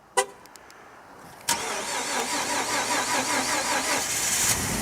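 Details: Ford F-150 V6 EcoBoost twin turbo, remote cold start at -25, unplugged overnight: brief slow crank, then it catches and settles into a steady high cold idle with some dark smoke; starts fine.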